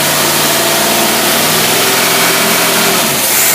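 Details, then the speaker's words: Carbureted V8 on a test engine with rebuilt Rochester Quadrajet, no-load high rev test: strong clean rev held high with no stumble, pop or miss, sounds good; normal free rev. "Oh man, that sounds good. That'll give you some good performance right there."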